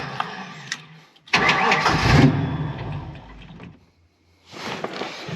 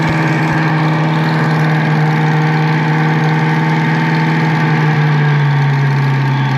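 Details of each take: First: Ford Mustang Foxbody with swapped automatic engine computer, TPS checked: cranks, catches with rough burst, stumbles and nearly dies, then fires again; ran better on other computer, owner suspects base idle reset needed. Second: Lopey cammed Foxbody V8 idling after refitting the intake pipe; steady, even idle with a deep, consistent burble, no stumbles or hunting; idling perfect.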